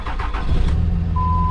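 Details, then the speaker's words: 2005 Dodge Ram Cummins diesel long bed, no glow plugs, Marketplace find: brief cranking, catches within a second and settles into a steady, even idle; fires right up, starts clean and healthy. "Fires right up."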